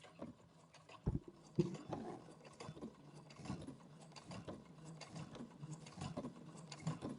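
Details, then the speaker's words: Brother Innovis A150 sewing across a thick denim seam, stitch length about 4 to 4.5 mm: slow, uneven clunks as the needle labours through, yet it sews with no skipped stitches. "So you can hear it, it's pushing itself through, but it is okay."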